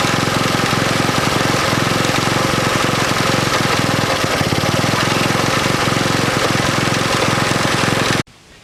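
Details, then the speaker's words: 1964 Honda S90 single-cylinder after trying to stop a fuel leak and refitting the carb throttle slide: chugs loudly at about four beats a second, uneven and stumbling before cutting out; running rough, worse than the day before. "Well, I think we stopped the leak, but it's running like crap compared to yesterday, which really kind of sucks."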